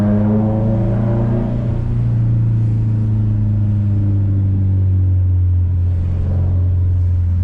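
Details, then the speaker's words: Subaru WRX STI after fixing rear passenger-side popping from a moving Kartboy solid rear end link on a Faction Fab 22mm adjustable rear sway bar: on the road over bumps and train tracks, steady road rumble, no pops or clunks. Normal suspension. "I believe we have our problem fixed I've not heard any of the popping or any of the issues that I heard before"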